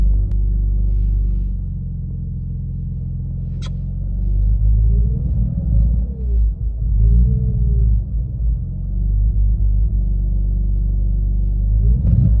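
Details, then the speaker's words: BMW E46 with a hunting idle: low rumble with revs swelling up and down. It is worse when driving, surging between about 1,500 and 800 rpm and spluttering when the clutch is dipped. The owner suspects the throttle body and linked misfire. "So that is what it sounds like, but it's actually worse when it's driving. When you're driving normally and you dip your clutch, it will rev up and down from about 1.5 down to about 800, and it will kind of just splutter up and down like it's surging almost."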